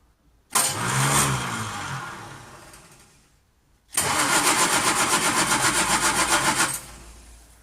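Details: 1939 Hillman with AC mechanical fuel pump trouble: two bursts of steady, even cranking at about four beats a second that never catch; no start, fuel pump push rod travel suspected too small on cranking.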